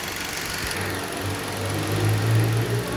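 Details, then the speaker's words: 2010 Toyota Corolla petrol idling with steady even hum after cylinder 4 misfire fix: burn times even, no misfires recorded, though short-term fuel trim still shows rich mixture. "show de bola tá vendo nenhuma falha de combustão registrada"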